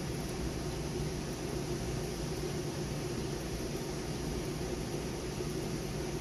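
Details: Newly installed replacement condenser fan motor on a Trane AC unit (old motor burnt out) runs with a steady, even rush of air and no rubbing, squeal or wobble; it runs smoothly after replacement.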